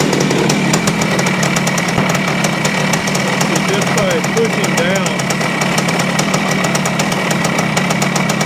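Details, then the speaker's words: 1973 Yamaha CT3 175 Enduro two-stroke on a rack: rough crackly idle that misses now and then; linked to up-and-down crank movement opening the points too far, suspecting worn main crankshaft bearings; pushing down kills the engine. "ry to let it idle it won't see the the roughness it is like it misses one once in a while and I think that's from the up and down movement that we're seeing here"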